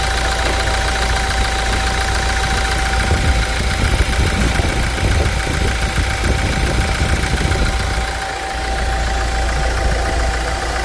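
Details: 2016 Toyota Hilux 2.8 GD diesel, 350,000 km, idling with the hood removed after a timing chain replacement (new radiator also fitted); an even, steady clatter with no knocks or rattles, described as much smoother than before: normal idle.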